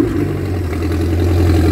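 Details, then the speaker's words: MerCruiser 3.0L (181 cid) four-cylinder boat engine, unserviced, had burnt head gasket and oil loss: low, throbbing, slightly uneven idle; rough running, carburetor suspected slightly lean, unconfirmed. "Maybe adjust the carburetor. That's it. That's Mr. MCclendon's engine. I'm thinking that carburetor is running a little bit lean."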